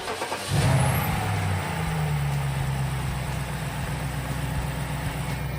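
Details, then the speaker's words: BMW N62 V8 after PCV/CCV valve diaphragm replacement, as the old diaphragm was almost torn: quick crank and catch, then settles into a smooth, even idle with no stumble or hunting. "it should idle better than before and the tailpipe should stop smoking if it did before this"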